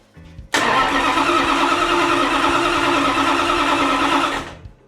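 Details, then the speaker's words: 340 Mopar Dodge Dart drag engine on the dyno, warm after running, 94-octane fuel, cast iron heads, cranked at full strokes for a compression check: steady, even starter cranking with healthy, even compression of about 175–180. Normal cranking. "Let's crank it over full strokes. Let's show our audience what we do."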